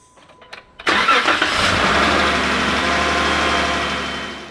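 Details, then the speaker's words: First start after installing a TuffStuff alternator (replacing a nearly 200,000 km OEM unit) and NAPA belt tensioner; the old tensioner bearing felt notchy and cold starts had been noisier. Belt seating and tension checked; it cranks briefly, catches cleanly, and idles smoothly with no belt squeal or chirp. "After double checking the belt seating as well as the tension, fire it"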